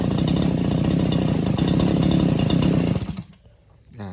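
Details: Old two-stroke grass trimmer, after repair of a no-start with a jammed, non-returning recoil starter, refuelled with 2T oil mix: buzzes along steadily at low idle speed, then cuts out cleanly. Normal running.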